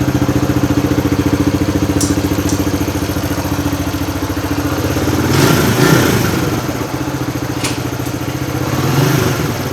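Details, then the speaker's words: Suzuki DR100 dirt bike just after a carburetor rebuild: the single cylinder idles at a steady, even thump with no misses or rattles. "Purring like a kitten."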